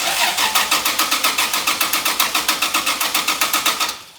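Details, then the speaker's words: 2JZ-swapped Toyota van, engine reportedly about 30,000 miles, key out so no fuel: starter jumped directly, even brisk chugging four to five beats per second, no firing; starter good, wiring fault suspected. "Starter's good."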